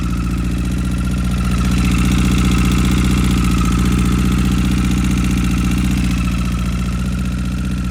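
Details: 2009 Honda CBR1000RR at idle just after replacing rod and journal bearings: faint high whine, steady tick and frequent irregular backfiring pops.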